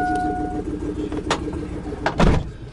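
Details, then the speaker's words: Truck running with an upstream oxygen sensor removed to test for a plugged catalytic converter; loud, raspy, evenly pulsing exhaust with a deep rumble at idle, "sounds like a tractor", exhaust escaping from the open O2 sensor port. "so we're gonna take it for a quick drive start up and remember you will get check engine so don't worry and that's gonna sound a lot gnarlier"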